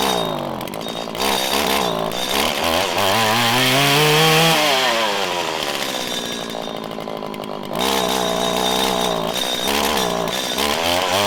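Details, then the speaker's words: 1997 Stihl Pro Series FS two-stroke trimmer on a 90-degree day, before tuning: it revs slowly and hesitantly, bogging before full speed and unable to climb back into the power band under load. The owner says this cold-natured behaviour is abnormal. "a lot of people would say it needs to warm up but i've used this weed eater obviously for a very long time it's not normal for it to be very cold natured like this"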